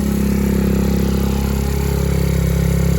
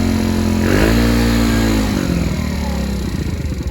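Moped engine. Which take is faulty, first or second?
second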